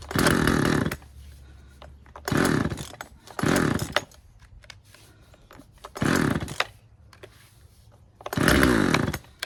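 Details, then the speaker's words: Husqvarna 136 chainsaw with replacement Hipa carburetor: blips to a scream then drops to a ragged, uneven idle between revs; low-speed carburetor setting needs a slight adjustment. "Uh sounds like we got to adjust the low speed um setting on it just a little bit, just a hair, and I think we'll be good to go."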